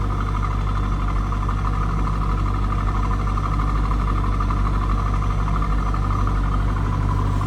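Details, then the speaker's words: 1999 Chevrolet Corvette C5 convertible, LS1 V8, 68,616 miles, stock-type exhaust, idling: steady even idle with deep smooth burble, no misses or ticks; healthy running engine. "Nothing crazy over the top for an exhaust. No, anything like that. Sounds like a nice running C5."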